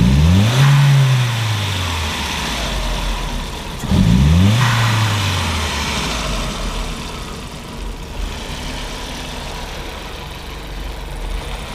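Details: 1999 VW Passat 1.8T (AEB): throttle snaps while scoping the MAF signal, reading just above 1 V at idle versus 0.9 V baseline. Two blips from idle, second one bogging and climbing sluggishly before falling back: hesitation from a faulty MAF reading high.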